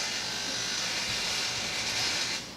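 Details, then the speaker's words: Kawasaki Z1000 sub-throttle servo at ignition key-on after reassembly, in neutral on a paddock stand: a high buzzing whir for about two seconds as it self-cycles; still noisy but moving. "Still sounds the same, but I know it's moving, so that's good."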